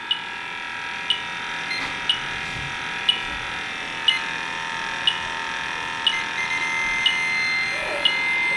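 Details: Testo 316-4 leak detector at Yellow Jacket HFC reference leak (R410a-type refrigerant): sharp high beeps about once a second over steady electronic tone, detector signalling refrigerant.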